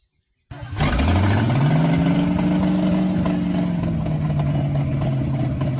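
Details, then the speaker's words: Old car engine catches and revs, then speed sags as if fuel-starved and nearly dies, with some popping; won't stay running, carburetor suspected of needing work, possibly sticking throttle plates or a stuck needle and seat, unconfirmed. "Yeah, I think that carburetor just needs work to keep it running."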